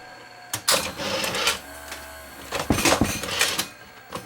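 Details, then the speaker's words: Sony VO9800 U-matic SP broadcast VTR during eject: motor whirs and falters between clunks of the cassette mechanism; the elevator belt is slipping a bit. "elevator belt slipping a bit."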